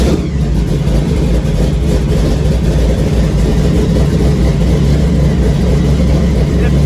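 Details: Supercharged big block just converted from carburetors to Terminator X EFI, started after a fresh tune and power cycle with good fuel pressure: a loud, deep, steady rumble holding an even fast idle around 1500 rpm with no stumble or misfire.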